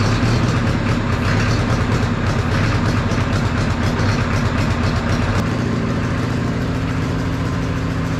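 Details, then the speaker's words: 1960 John Deere 1010 diesel track loader cranking after glow-plug heat; laboured, uneven chugs as two cylinders try to catch; owner thinks it would start if all four had glow plugs; heavy black smoke. "you can kind of hear those two cylinders trying I think if all four of them had glow plugs it would"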